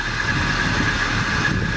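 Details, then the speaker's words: 1986 Chevy C10, first start with new Edelbrock AVS2 carb and intake, throttle not yet hooked up: low, slow, even idle at 600 rpm, steady beat, no stumbles or backfire; smoother than before. "Now it's at 600 RPM. Yep. That's good. That's good. That's perfect."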